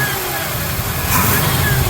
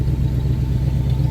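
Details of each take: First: 1978 Jeep Cherokee revved by hand under hood: faint whine rising and falling with revs over engine roar as fan clutch kicks in; power steering pump whines despite having fluid, cause unknown. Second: 1978 Jeep Cherokee V8 heard at the tailpipe at idle: deep, steady, smooth rumble with no ticks or rattles; no weird noises anymore after new intake, great exhaust note.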